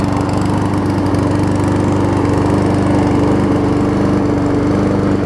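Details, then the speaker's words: Troy-Bilt self-propelled mower with donor Honda engine replacing blown Briggs; surges a little on starting then catches, steady even beat, running clean; seemed low RPM. "So let me give you all a start here. Surges a little bit until it finally catches. There we go."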